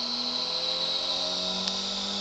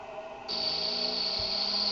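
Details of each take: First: Experimental 3-phase pulse motor fully loaded with 9 coils, each on a Bedini SSG monopole circuit, phases wired in parallel: smooth whirring tone rising steadily as the rotor speeds up, no knocks; normal run-up. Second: Experimental 3-phase pulse motor with 9 coils on Bedini SSG monopole circuits, phases wired in parallel: thin high steady whine and buzz, coil still buzzing; cause unknown.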